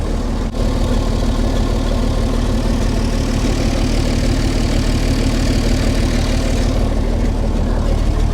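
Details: 60-year-old International Harvester 6x6 army tipper, Perkins 6354 diesel, sat about 10 years, after the throttle linkage was reconnected: steady, even low chug of about three to four beats a second, no knocks or misses; healthy idle.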